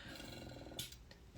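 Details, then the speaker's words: Breast pump in massage mode: low pulsing motor purr with quick regular flutter then brief hiss; normal built-in vibration. "So you can hear the purr of that motor. That means there's vibration in it."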